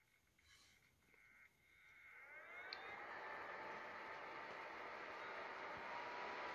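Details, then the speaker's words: PlayStation 4 fan with broken connector, bench-tested with wires on a supply thought to be set to about 4 or 5 volts: quiet, then smooth whirr climbing in pitch and settling evenly; fan works fine. "yeah looks good so I can keep now my work and then well we can say yeah sure that the fan is really working great"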